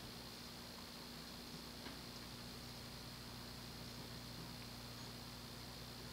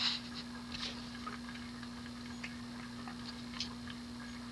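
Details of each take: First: 1988 Hunter Embassy 42-inch ceiling fan, model 25644, with a 172x12mm motor, on low speed: soft, steady, typical Hunter motor hum under a gentle airflow hiss, no clicks or wobble; the bearings are otherwise known to be loud. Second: 1988 Hunter Embassy 42" ceiling fan, model 25644 with 172x12mm motor, on low speed: steady hum with faint irregular clicks and clunks from worn bearings; fan is very dirty.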